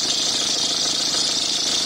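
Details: Peugeot 306 HDi 2.0 diesel idling with a loud, steady, high-pitched whine from a worn alternator belt tensioner pulley; spraying the belt did nothing, the noise changed when aimed at the pulley, and the tensioner was replaced.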